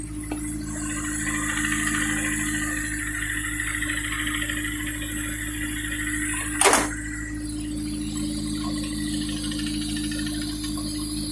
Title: Ap1 S2000 engine tick/rattle noise